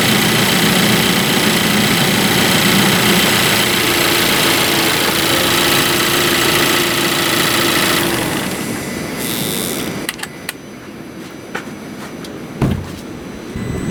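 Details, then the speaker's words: Engine idling with the air conditioning and all accessories on: smooth, steady idle with no squeal or chirp. Belt quiet. "As you can hear, the belt is nice and quiet. I've got the air conditioning running and I've got all the accessories turned on."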